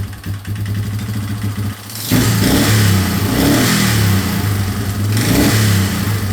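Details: 2003 Yamaha Wolverine quad with fuel tank refitted and no longer leaking after fuel-leak repairs: steady low thrum picks up cleanly on two throttle blips and settles back evenly; runs pretty good.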